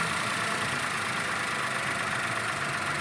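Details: Suzuki Wagon R / Cultus K10 engine after timing belt fitting and tappet (valve clearance) adjustment for low fuel mileage: even, steady idle with smooth hum and no ticking or tapping; running cleanly, much better than before.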